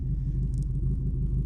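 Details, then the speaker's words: 1999 Honda Civic Si (Canadian) with B-series swap, stripped project car, idle around 800 rpm: deep, steady, even low rumble with no misses through a free-flowing aftermarket exhaust; normal idle. "That's the per idle right now. It's probably sitting at 800 RPM. And just listen to that rumble,"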